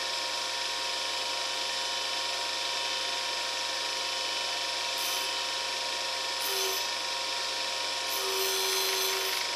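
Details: New U3 universal cutter grinder, test cut after diamond dressing the wheel: steady high wheel hiss with fine ratcheting texture and brief squeals while cutting; even and smooth, normal grinding.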